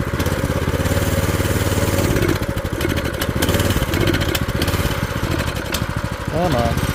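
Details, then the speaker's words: Old scooter's small engine after sitting years, carb bowl cleaned and orifices blown out, cold, choke just moved to run: speed rises and sags unevenly, won't settle. Governor suspected; to be warmed up and maybe adjusted. "oh no that's a governor or what we got going on here oh that's Governor there vers is that I'll get it warmed up and see if I need to adjust the governor"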